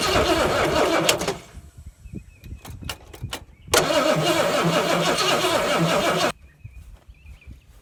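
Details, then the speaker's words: 70 or 71 Ford Torino GT 429 after about 15 years sitting, carburetor kit-rebuilt and fuel and battery hooked up: quick crank, catches and holds an even, steady idle before shutdown; normal start and idle. "Give her a little motivation. Runs pretty good. At least I think so. For sitting as long as she did."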